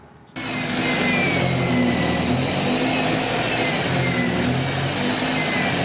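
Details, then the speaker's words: B16A Honda CRX after a coolant flush, engine revving: a steady airy hiss rides over the revs. The brake booster has a vacuum leak pinpointed under the master cylinder. "we realized the booster is now leaking while it probably had been just couldn't hear it we were able to pinpoint it underneath the master cylinder"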